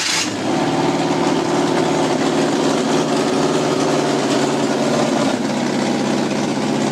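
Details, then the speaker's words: 1991 Volkswagen Westfalia van with Subaru engine conversion, first start after install (died once, restarted): settles into steady even idle hum, no knocking or hunting; sounds good, though owner worries no heat reaches front radiator. "all right guys well the uh van is now running it's idling uh on it own power right here sounds really good"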